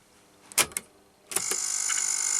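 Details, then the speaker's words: Akai GXC-39D cassette deck after replacing the three drive belts and cleaning heads, capstans and pinch roller: control clicks, then a steady high whir building as tape spools fast; rewind works normally, though play runs slow (owner suspects belt misplaced on motor pulley). "Rewind is working right right I've cleaned the heads and the caps and the pinch roller"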